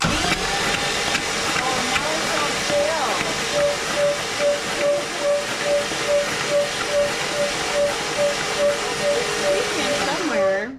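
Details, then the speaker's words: 1962 Cadillac first crank in 40 years after starter install and freeing stuck valves; slow cranking with repeating high chirp about twice a second in time with rotation, suspected belt side, maybe power steering pump, unconfirmed. "is that squeaking sound is it on the Belt it kind of sounds like it's on the belch it might be the power oh maybe we should put some power steering pump in there"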